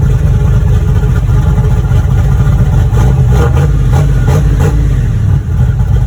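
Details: Boosted V8 black truck, freshly rebuilt after a head gasket blew at 11 psi boost. Deep, even burble holding a steady idle with no knocks or ticks; the fresh engine sounds healthy.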